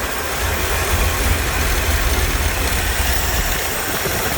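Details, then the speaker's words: Corvette C3 V8 with Holley carburettor at idle while idle mixture screws are adjusted: deep steady idle whose speed doesn't change; adjusting screws suspected worn and idle circuits possibly clogged, needing removal and blowing out. "क्योंकि, मैं अब एक बड़े अंतर को नहीं देखता, कि वे कैसे चालू होते हैं, यह वास्तव में मायने नहीं रखता है, गति बिल्कुल नहीं बदलती है"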